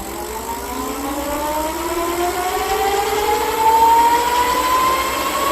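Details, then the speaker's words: Dual-hub 1500 W front and rear (3000 W peak) 52 V 25 Ah fat-tire ebike, rear wheel raised, throttle twisted. A smooth whine rising steadily in pitch with no grinding or clicking, with a slight soft start; normal hub motor. "yep seems like it's has a little bit of a soft start"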